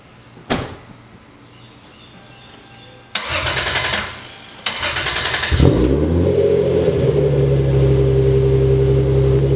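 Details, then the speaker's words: Lexus SC300 after replacing a fuel injector whose broken seal was pouring fuel, with timing confirmed at 10. It had seemed to misfire earlier, which the owner suspected was the spark plugs. Cranking, then it catches and settles to a smooth, steady hum with no misfire; runs well. "But she sounds good. Everything up front here seems like it's operating correctly. It sounds pretty decent."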